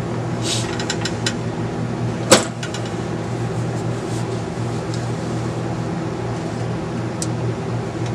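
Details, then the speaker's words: Philco 50-920 tube radio after capacitor replacement and DeoxIT on the volume control and tube sockets: constant low hum with steady hiss and one sharp click; still noisy, weak tubes possible. "here sounds like I'm just still getting noise"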